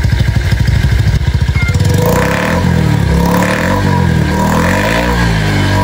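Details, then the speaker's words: Honda Vario scooter with AHM Malaysia exhaust, previously noisy, after replacing the muffler glasswool packing; thumps at low revs, then revs up and settles into a deep, smooth, rounded, bassy note with no rasp or rattle. "Dan untuk karakteristik suara knalpot AHM gue, itu langsung berubah drastis. Goks, sekarang jadi enak banget. Pokoknya suaranya itu jauh lebih adem, lebih ngebas, dan juga bulat banget."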